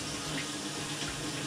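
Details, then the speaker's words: Maytag Centennial MVWC555DW1 top-load washer in manual test mode after replacing a stripped wash plate: smooth, even rush of water filling the tub with no buzzing, chatter or hammering from the inlet valve; normal fill. "Again, Now I'm testing the water. So far, so good. Just letting a little bit of water go in."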